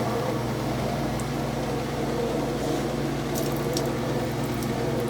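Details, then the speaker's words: Whirlpool washer spin test after replacing the broken motor coupler (overloading had left fill and drain but no agitation or spin); steady low motor hum, even whir, water sloshing, spins smoothly with no grinding or slipping: normal spin cycle. "training really good you can hear it you can see it spinning that's working"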